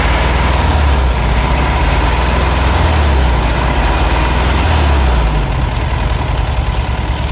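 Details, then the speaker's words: 1964 VW Beetle, air-cooled, sat since late 1980s, first start on fuel poured into the carburetor: revs surging up and down with uneven, lumpy beat, water spraying out; running rough after long storage. "Oh yeah, there we go."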